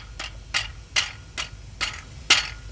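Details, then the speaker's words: Transmission removed, flex plate turned by hand: sharp metallic clicks about two a second. The flex plate is cracked, and it caused the engine-knock complaint. "heard it look yes that is not supposed to do that guys"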